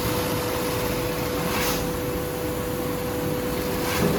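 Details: 8365 high postbed sewing machine, secondhand unit serviced (cleaned, repainted, repaired): quiet, even motor hum at a steady mid pitch with no knocking or rattling; normal running.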